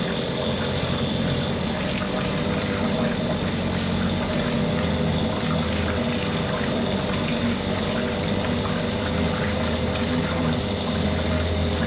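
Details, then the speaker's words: Mercury 2.5 hp two-stroke outboard after carburetor taken apart, soaked and cleaned; steady even buzz, no misses or surging: normal running. "the engine just sits here runs at all different RPMs for as long as I need it to"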